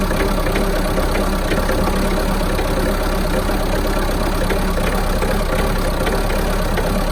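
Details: Mahindra Roxor diesel just after a cold start in winter (about 15°F expected): loud idle with an uneven, lumpy beat and some knocking, missing; runs rough for one to two minutes after starting, then settles out.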